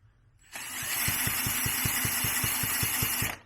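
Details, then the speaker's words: 1978 Yamaha DT175E, stored 17 years, spun by an electric drill with a compression gauge fitted: steady drill whine, even light ticks, no compression pulses; zero compression, owner suspects a holed piston or crankcase seal. "so no compression on the other one wasn't double checked again on here in the zero compression which is what I thought so potentially is the pistons are completely goosed hold the piston or crankcase seal"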